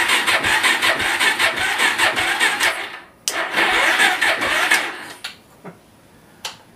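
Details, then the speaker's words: Suzuki LT-R 450 quad, sluggish uneven cranking about two and a half turns a second fading out; very low battery, unknown fuel level, spark present; battery to be charged. "there's spark but as you can tell the batteries so well it's having a hard time so let us charge the battery up"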